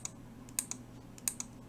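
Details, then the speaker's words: IR remote relay in an enclosure on a battery pack, tested with a switch tester: sharp clicks in pairs over a quiet hum on each remote press, yellow light on; relay switching normally. "And you can hear inside the relay is clicking as I'm pressing. And the yellow light is on here, which is indicating that it is working."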